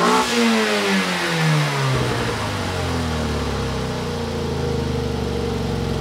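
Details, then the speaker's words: Toyota Yaris 1.5L 1NZ-FE first start after fitting a 2ZR fuel pump assembly, 2ZZ spark plugs and a 1ZZ throttle body spacer: uneven, stumbling, lumpy idle with cylinder misfires, limp mode and a throttle position sensor code; cause not yet confirmed. "Well, something's definitely misfiring. It's gone into full limp mode."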